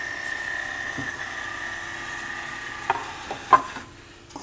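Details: Sony PS-FL7II linear-tracking turntable after reassembly with belt and grease work; the door opens with a thin steady high whirr for a few seconds, then light mechanical clicks as it stops; door motor working normally.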